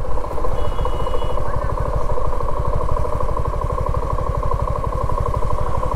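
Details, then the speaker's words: 2024 Suzuki V-Strom motorcycle, owner in dispute with dealer: steady rapid clatter, roughly ten knocks a second, over the low engine beat when the throttle is released; knocking rattle of unknown cause. "देखा आपने इसमें से एक कड़ कड़ कड़ की sound आ रही है"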